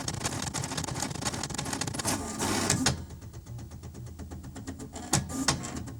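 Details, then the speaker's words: HP 7470A pen plotter plotting for the first time, mic placed near the plotter, pens left open overnight: quick bursts of ticking and buzzy motor moves with brief pauses, clean working rhythm. Normal plotter operation. "All right, I'm about to hit run here, and I'm going to put my mic near the plotter so you can also hear the wonderful sounds of plotting."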